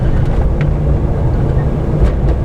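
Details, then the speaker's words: 2004 Nissan Titan on a second test drive after new Mevotech lower control arms were installed and everything tightened: steady road and tire rumble, no clunks or creaks. The braking thump (right control arm) and the creak (frame brace ahead of the oil pan) are gone. "So I got everything tightened up properly now, and we're on a second test drive. But yeah, it's actually working nice now. There's no more noises."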